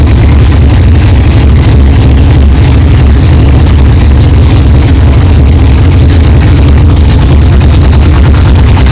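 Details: 1964 Chevelle 383 stroker V8 at first fire-up after an 8-month build, not yet warmed up, 63 lb oil pressure: loud, deep idle with steady lope, no clanging or ticking; good oil pressure, healthy normal idle.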